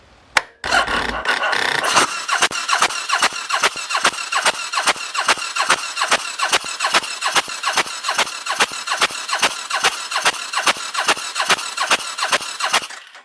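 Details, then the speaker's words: Suzuki VS1400 Intruder brought back from sitting: even, quick cranking at about 2.5 beats a second with no firing, not even with starting fluid in the intake; spark later found weird and unsteady on a small battery; cranks but won't start. "intake, and I tried cranking it, and there was no coughing or nothing, no sputtering, nothing. Absolutely nada."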